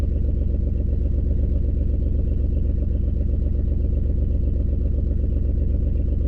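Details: 2003 Ford Escape with a constant misfire, onboard monitor flagging cylinder 4, check engine light not flashing, loud exhaust leak: uneven, low, thumping idle with a steady stumble about every other second. A bad coil is suspected, not confirmed.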